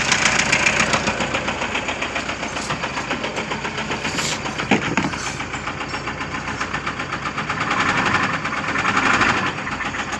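At idle, a steady, fairly regular knock of about four beats a second stands out over the engine; a clear engine knock.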